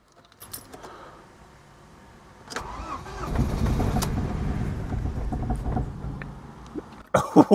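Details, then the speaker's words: Ford Mondeo Mk3 with P0301/P0304 misfire codes, just fitted with new spark plugs after carbon-fouled ones, in neutral with the window open: rough, uneven cranking that never catches. No check-engine light and no stored codes afterwards. "that didn't sound good and it didn't start try again it sounds awful but curiously there's no check engine light that's definitely misfiring"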